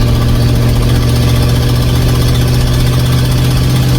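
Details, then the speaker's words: 1950 Ford F1 with flathead V8 8BA: a loud, rough idle with a harsh raspy exhaust chuff from a leaking manifold gasket. Missing header bolts were later found to be the main noise source. This is before the gasket replacement. "today we are going to be replacing the uh manifold gasket that was leaking in the previous video uh we just did a short where it's it's incredibly loud"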